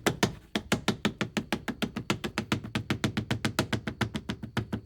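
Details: Ford Bronco with the top off, off-roading: rapid, fairly even hard clacks, about three or four a second, from the loose hanging end of a seatbelt striking hard plastic trim. Seatbelt retainer clips fix it.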